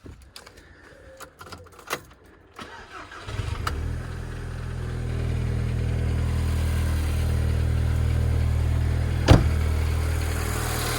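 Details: VW Golf GTI Edition 30, bought in uncertain condition, restarted about ten minutes after a first run (owner feared blocked oil pickup): scattered clicks and clatter at start-up before settling to a steady low hum; cause unclear.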